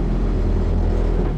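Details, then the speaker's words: Sailboat autopilot hydraulic pump on an aluminium catamaran in rough seas, recently fixed: steady low buzzing drone at even pitch, no knocks or surges, running smoothly while working hard. "You can hear Otto the Autopilot grinding away down there, working very, very hard."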